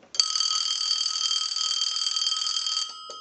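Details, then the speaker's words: Bell South clear Lucite Trimline telephone on a line analyzer before repair of the neon lamp circuit, ringer neon lamps in the base: a single shrill ring under three seconds, then the phone seizes the analyzer and stops. Ringer cuts out after one ring. "it will not ring again because it sees the analyzer again and it's just not going to ring"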